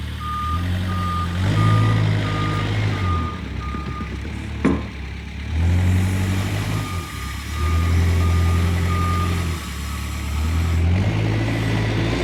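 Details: Kubota 520 hydrostatic wheel loader backing up after repairs, including a fix for being stuck in low transmission range, while testing high and low range: diesel rumbles steadily, reverse alarm beeps about three times a second, drive pulls evenly and sounds healthy.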